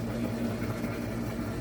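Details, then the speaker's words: Whirlpool top-load washer (model 110…) with a complaint of grinding when the motor runs, tested in diagnostic mode. After the shifter moves, the motor agitates with a low, even hum and no grinding or scraping. "Oh, there it is. It did shift. So right now the motor's agitating okay."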